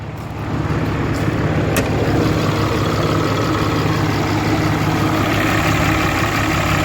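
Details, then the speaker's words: 2013 Ram 3500 fourth-gen Cummins diesel after a cylinder head replacement, idling after a test drive: a steady, even idle with a low clatter and no misses or knocks. Idles fine, but smells of oil, the turbo is leaking and it doesn't look like coolant is being pushed. "just took her around she runs really good idling fine just stinks as all smells like"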